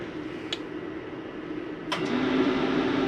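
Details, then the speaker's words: No Boundaries 19.8 RV furnace switched on at the thermostat: low hum with a light rattle, then the blower rises to an even whir. Running normally; the furnace fan normally takes a couple of minutes longer than the AC fan to shut off. "You'll notice the furnace fan always takes a couple minutes longer to shut off than the AC fan."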